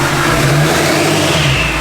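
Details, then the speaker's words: K20 pickup with Duramax diesel swap on stock turbo: diesel revs up strongly into a rising roar with a faint turbo whistle on top; normal revving, healthy under throttle. "Truck sounds good though. We thought it'd be way louder."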